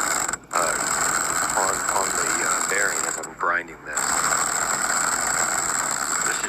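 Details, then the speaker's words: Cordless 1200 W impact wrench pressing a wheel hub bearing into the knuckle; rapid rattling hammer with pitch sagging and dropping out under heavy load, the wrench struggling against resistance. "I don't know if my impact wrench is supposed to sound like this, but I can see a lot of metal"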